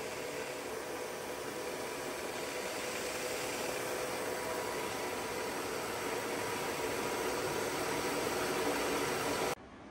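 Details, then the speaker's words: WMW-Heckert dual-spindle universal milling machine, vertical spindle at its 1800 rpm maximum: an even, steady whirr with a faint constant tone and no knocks or grinding; the spindle runs quietly. "Working of spindle at its maximum speed, that is 1800 RPM. You can hear there is no extra noise from the spindle. Even at its high RPM also."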